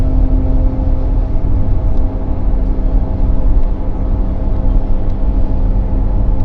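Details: Pontiac Firebird Trans Am Posi/limited-slip rear differential making loud noise under load: heavy low rumble with steady droning hum while pulling.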